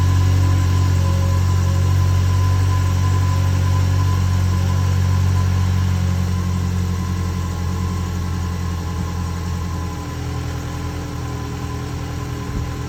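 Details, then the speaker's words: 2010 Ford Ranger idling after the new fuel pump was installed and the battery reconnected, before the bed goes back on; the fuel pump was the problem. Even low idle hum, steady and smooth, with a slight drop as it settles. "there you go that's our problem now go ahead and put the cover back on here now that I know it"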